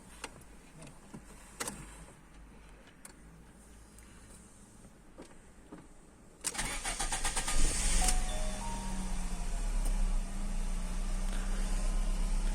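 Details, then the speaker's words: Fiat Stilo station wagon with LPG, after reducer cleaning and antifreeze top-up; brief crank then catches, slightly uneven low-rumble idle, starts a bit reluctantly; cause unknown. "çalıştı ama sanki böyle bir tık isteksiz gibi çalıştı"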